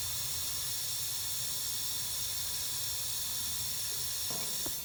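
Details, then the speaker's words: Lennox gas package unit with no cooling or heating: after adding pressure through the gauges, a steady high, even hiss of gas escaping is heard, a refrigerant leak in the sealed system. "let's just throw some in here and see how quick we hear it coming out i didn't hear any huge places pouring it out so we'll go ahead and get enough in there to work with oh i hear it now"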